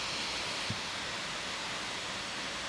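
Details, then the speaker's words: MacBook Pro 15 Late 2013 left fan after lubricating it with WD-40 (LM-40): steady airy hiss at high speed, smooth with no grinding or rattle; the loud noise is gone after the fix. "hello everyone today i will show you how to fix fan of macbook when have extreme big problem with loud sound it was successful experiment now book work and sound already gone"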